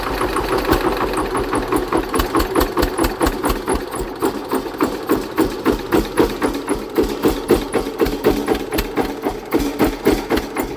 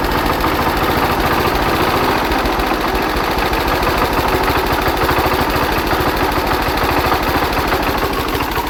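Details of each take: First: Hatz diesel engine converted to Otto cycle running on woodgas from a gasifier: hard, sharp beat about four per second under load, harsh firing; ignition timing advanced too far. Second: Hatz diesel converted to Otto cycle on woodgas from a gasifier, after retarding ignition about 10°; crisp, steady chuffing of about three beats per second, running smoothly and sounding much better; normal running.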